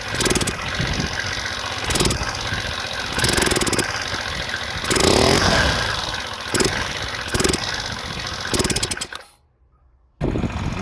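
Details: Two-stroke scooter with piston kit, valve, CDI, ignition coil and plug replaced and carburettor rebuilt: stumbles and chokes each time the throttle opens, only a sharp blip revs it up, then dies; black sooty plug shows rich mixture, carburettor overfuelling.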